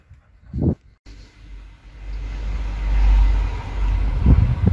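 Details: VW LT diesel (possibly LT35 2.5) with suspected immobilizer problems: the starter turns the engine over at a steady, even rhythm but it never fires. Crank-no-start; the immobilizer cause is suspected, not confirmed.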